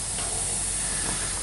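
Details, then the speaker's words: Truck air horn line: hose pushed over a barbed 3/8 fitting onto its hex part with a hose clamp leaks when air is applied; faint steady hiss at the fitting by the valve; temporary until a proper threaded fitting is fitted. "And then I put a hose clamp right on there, and when I put air to it, it does leak."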